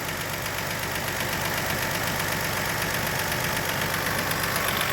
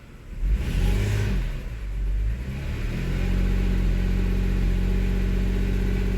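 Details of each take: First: 2002 Toyota Highlander idling with the scope and amp clamp on the factory coil before the aftermarket coil is compared. Its steady, even idle has a regular beat and no skipped firing, so the engine is running smoothly. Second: 2002 Toyota Highlander in Drive under load, RPM dropped and throttle snapped. It holds a low, uneven drone with stumbles, a load-dependent misfire on cylinder 6. The cylinder 6 connector is to be inspected next.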